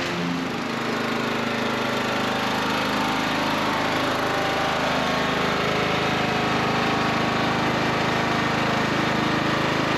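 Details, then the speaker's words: Cub Cadet riding mower after no-start repair: steady, even small-engine drone at constant speed with no hiccups, stumbles or misses; ran perfectly. "So the Cub Cadet worked really well. Had no hiccups, no stumbles, ran perfectly."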